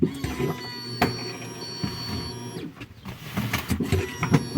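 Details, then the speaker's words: Alfa Romeo 147 Twin Spark 105 hp with crank-no-start after sudden stop, new fuel pump fitted, ignition on: faint steady electric whir under clicks and handling noise; new fuel pump priming normally. "Okay, okay. And voila, and I can hear permanently the pump working."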